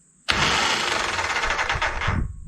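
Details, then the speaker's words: 1985 motorcycle project after replacing the ignition coil and fixing a starter solenoid issue, in neutral: a harsh, loud whirring grind with the starter spinning freely, its bendix not engaging the engine, and no start. "okay you can see the bendish isn't checking in so let me go ahead and move the bike a little"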